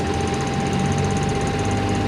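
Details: Model 34 brush engine auxiliary pump engine just started in neutral with brake set, pressure on gauge: busy, even drone with steady high note on top, no knocks or misses; pump engine running normally.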